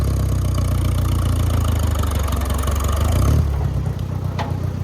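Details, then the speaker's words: Farmall 404 tractor after clutch repair, taking off in fourth gear: deep, steady diesel thrum under load with a brief dip at the gear change; some general rattling, but no clutch noise or chatter. Normal running in gear. "We got the clutch, no more noise, no chattering. Goes into gears, no problem."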